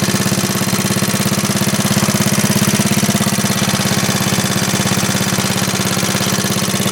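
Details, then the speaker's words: 1939 Onan generator after carburetor cleaning (varnish-stuck float freed): small single engine thumping at an even, steady beat, no misses, surging, knocks or smoke; output at 115 volts, running normally. "There we go. That's good, steady."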